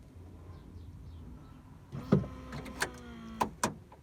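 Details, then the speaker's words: 1995 VW Golf Mk3, door lock wiring harness shorted grey to orange while fitting an eBay remote central locking kit; short motor whirr, firm clunk, then lighter clicks as the lock actuator locks normally. "Okay, so this just locked the car, and so I wonder if this will unlock the car."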